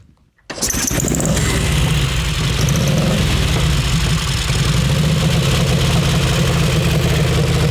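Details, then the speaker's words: Crocker motorcycle cold start, fuel on, choked three kicks then kicked with kill switch, caught on third try: engine catches after a quiet moment into a steady loping idle about four beats a second; healthy. "Cold start. So we're going to choke this bike 3 times. Choke on, a couple kicks with the kill switch."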